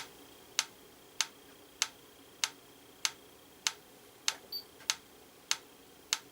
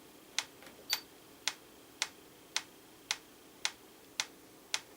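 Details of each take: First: Franz FB-4 electric metronome, AC line-frequency referenced, during calibration: clean even ticks about every 0.6 s, near 98 BPM instead of 112 BPM. Runs slow; tempo miscalibrated, needs about 535 ms per beat. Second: Franz FB-4 electric metronome, apparently from the 1940s–50s, AC line-frequency driven, after final calibration to 112 beats per minute (about 538 ms): crisp, even ticks with steady spacing, no double beats; running true.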